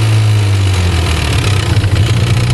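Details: 1991 Nissan 300ZX at idle: a deep, steady idle with a faint light tick on top. The owner believes it is abnormal because another 300ZX doesn't make it; the cause is unknown.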